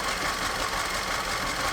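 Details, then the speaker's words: Direct-injected Audi after timing and reassembly: uneven lumpy idle with skipping pulse, number four cylinder misfire, smoothing slightly when revved; suspected blow-by, later found ring damage on cylinder four needing full teardown. "but it's definitely missing so i guess i'm gonna do a compression test in this compression shop then i'll figure the injector is probably okay you get it revved up it kind of smooths out a little so could again be that it's just leaking down that much"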